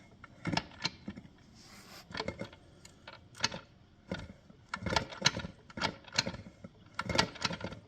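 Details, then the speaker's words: Bel Air TH400 torque converter, tested in a Powerglide with turbo input shaft, turned by hand: irregular sharp metallic clicks like teeth jumping, gone when lifted; converter suspected faulty. "to me that sounds like Teeth jumping if I lift up on it a little bit when I spin it there's nothing if I let the weight rust it comes back so pretty sure it's an issue with the converter"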